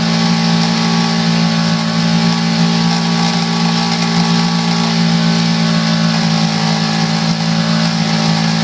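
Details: Coleman 5 hp outboard made April 2012, revved to about 2000 rpm: an even hum with a faint buzzy rattle like a loose car exhaust pipe. Nothing loose was seen with the cover off, so the rattle at part throttle has an unknown source.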